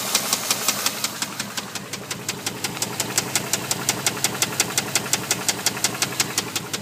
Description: dodge durango 4.7 rod knock cylinder 2